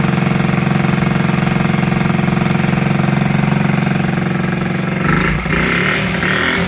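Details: 1969–70 Honda Z50 small single running for the first time in 35 years, after fork repair, without cleaning the points or carburetor, with idle being adjusted. Even, quick putter of about three beats a second with a brief blip; normal smooth idle.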